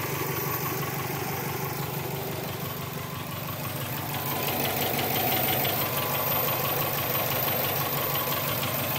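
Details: 2002 Subaru WRX, 176,xxx miles, with a replacement EJ20 engine (about 70,000 miles), untuned, with cat-back exhaust, cold air intake and BOV: steady, even knock about three times a second at idle; owner suspects the turbo or a spun crank bearing.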